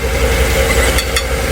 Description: the gear in the starter was loose ..so the solution was a new starter...